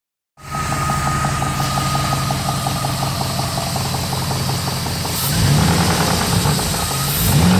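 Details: 1999 Jeep Grand Cherokee WJ 4.7 V8: sharp tapping about three per second at idle, quickening and louder with throttle; valvetrain-type tick that began after oil ran low, persisting after an oil change with good steady oil pressure; cause unconfirmed.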